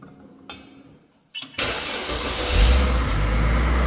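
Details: 2004 GMC Envoy started after front end and axle repair: brief crank, quick catch, then a steady even idle settling in — normal start and idle.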